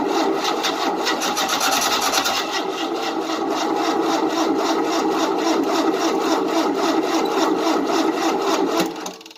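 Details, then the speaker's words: 1988 Tennant 255 Series II sweeper after new fuel line: starter churns about four pulls a second for nine seconds without firing; fuel pump pumped at first then dried up, pump suspected failed. "Can't pump the fuel, I don't think. Yeah, Put the key on. it was pumping fuel at first."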